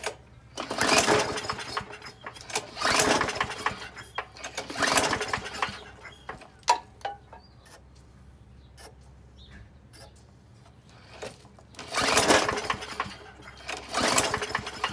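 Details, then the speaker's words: Australian-built Rover four-stroke mower, first start after sitting on its side cylinder-head down: repeated recoil pulls, engine spins briefly but never catches; spark plug found covered in oil, crank no-start from oil-fouled plug, cleaned plug and cylinder. "Clean our spark plug. It's obviously covered in oil. That wasn't going to run in a hurry."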